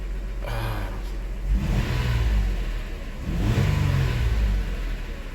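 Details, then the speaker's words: 2002 Toyota Highlander, new coils and plugs already fitted, misfire earlier but not now: two clean rev-ups from idle and back, climbing and falling evenly with no stumble; no active misfire, misfire counter being checked. "ah it's not actively misfire"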